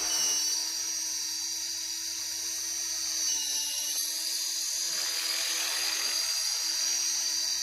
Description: got a very annoying squeaky noise when blipping the throttle